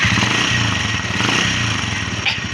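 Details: Engine revved with the valve cover open after a valve tappet adjustment: fast, dry metallic ticking over a clattery top end; no oil reaches the feed hole, leaving the rocker arm dry and unlubricated.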